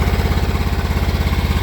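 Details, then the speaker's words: John Deere X304 mower at full throttle under load: rough, pulsing, uneven firing with sputtering and backfires. Revs up when sprayed with carb cleaner; owner suspects an intake gasket leak or head gasket. "okay I got a John Deere x304 here and it sputters kind of on a high well Full Throttle under a load"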